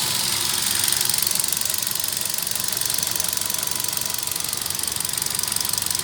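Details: i20 engine: quick, regular light ticking of about three a second rides over a thin engine note. This is an abnormal engine noise whose cause is not pinned down.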